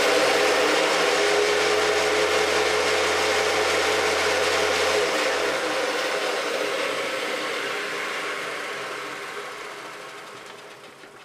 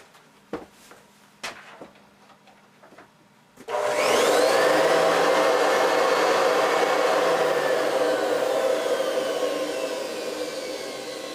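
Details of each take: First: Hoover Decade 800 upright vacuum with bushings oiled and fan swapped: roars with a heavy low rumble, then winds down; vibration traced to the unbalanced brushroll, not the motor or fan. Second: Hoover Decade 800 vacuum, cleaned, bushing and main bearing oiled, fitted with a metal fan from an older Convertible, run without the brushroll: steady smooth whoosh and even hum; motor and fan not causing the vibration, the brushroll is.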